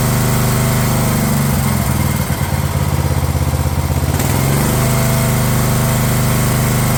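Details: Craftsman LT1000 riding mower engine on a rebuilt replacement carb after repairs to starter, deck and sump gasket; steady strong run with one brief lumpy dip that clears, then smooth even firing: normal running.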